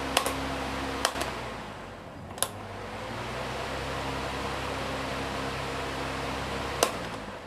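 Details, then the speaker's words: Usha pedestal fan after condenser replacement and reassembly: a soft, steady whoosh with an even low hum and a few handling clicks, running smoothly. "చాలా smooth గా అయితే తిరుగుతుంది fan చూశారు కదా"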